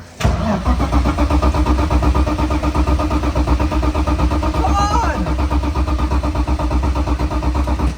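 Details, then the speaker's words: Crashed BMW E46 drift car not started in a long time: strong, even cranking that keeps turning over for seconds but never fires; owner suspects it may be out of fuel. "Nah, that sounds healthy, bro. It just won't start."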